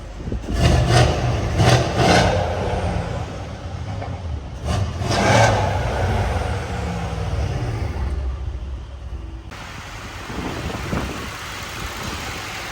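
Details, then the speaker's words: Mercedes C63 AMG W205 just after purge valve replacement, started and given quick revs: catches, two clean blips, then back to a smooth, even idle; it sounds good so far, though a tick is still pointed out afterwards. "Let's start it up and let's cross fingers that this works. Give it a quick rev real quick."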